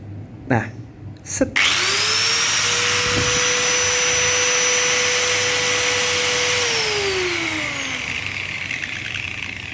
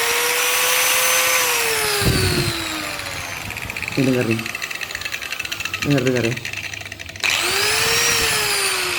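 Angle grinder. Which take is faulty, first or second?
second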